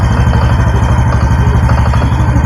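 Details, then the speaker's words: Honda Biz 125 motorcycle at idle: light quick knock on the clutch side plus a faint whine; owner suspects clutch basket or clutch play for the knock and the oil pump for the whine, unconfirmed before opening the clutch cover. "Uma pancadinha aqui, ó, do lado da embreagem. E tá com esse ruído aí, ó."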